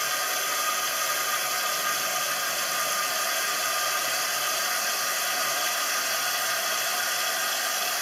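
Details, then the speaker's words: Toilet cistern fill valve with a leaking diaphragm seal: a steady, unbroken hiss of running water that never stops while the tank does not fill; continuous noise means the diaphragm seal, not the flush seal. "Alors, le joint de membrane, il fuit. C'est en continu. Quand vous avez un bruit en continu ici, c'est pas le joint de la chasse d'eau qui fuit, c'est le joint de membrane."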